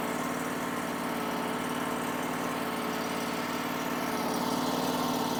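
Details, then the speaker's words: Powerease R740D twin-cylinder engine on a Chinese CRT-23 mini skid steer, after fixing fuel problems with an added fused fuel pump; steady, even, slow idle with no misses or knocks, where before it would pop and shut off. "So this thing has never idled that slow and that easy. It would never idle. It would just pop and shut off, and I don't know why low fuel causes it not to idle, but man, it just purrs right now. It idles so nice."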